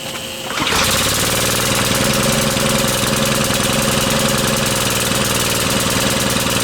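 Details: Brute Briggs and Stratton 550e pressure washer, engine driving the pump: fires up into fast, slightly uneven beat with pump noise, hinting at a rich lumpy run; it works but needs a new carb main jet.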